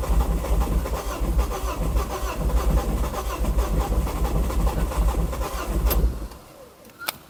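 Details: 2006 Ford Focus ST225, first start attempt in over a year: the starter churns steadily for about six seconds and never catches, then silence. The engine cranks but will not fire.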